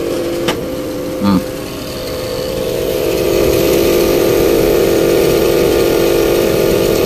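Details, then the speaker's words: Midea inverter split-type aircon whose outdoor unit shuts down with no error code: compressor runs with a steady droning hum that thickens into a coarse rough rasp, not from the cover; low 85 PSI and 2.9 A; compressor fault suspected, not confirmed. "Napapansin niyo bumibirit siya, pero yung tinamo yung pakinggan natin yung ano, yun oh. Tunog."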